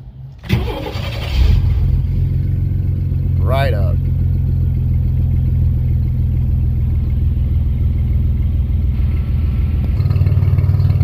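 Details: 1994 GMC Jimmy 4x4, 4.3 V6 CPI, 191,000 miles, restarted after a long drive with no oil or coolant use: catches quickly after short crank, then smooth, even low idle with no knocks or misses; healthy engine.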